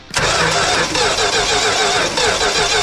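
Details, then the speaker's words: 1967 Dodge Coronet 440 with a 318 V8 and ignition/spark trouble: the starter spins the engine with steady even compression pulses for about three seconds, but it never fires. "en faut deux, d'accord, donc nous n'avons pas pu le démarrer"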